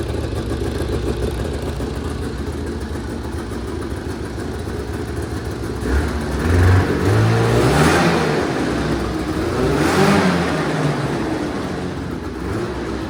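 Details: 1980 Yamaha Exciter two-stroke snowmobile, revived after sitting 19 years, first test run after tank cleaning, throttle cable swap and premix added to the tank: idle then two crisp throttle blips, no misfire or stumble, smoky; running normally.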